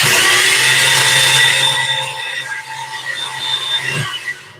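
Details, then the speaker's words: Gen4 LS3 engine cranking on a newly installed starter: a labored, uneven whir that drags and never catches. It turns over at about 157–159 rpm versus 193 rpm with the old starter; cause not confirmed. "This one's turned over slower than the other one did. The other one turned it over at 193. This one's turning over at 157."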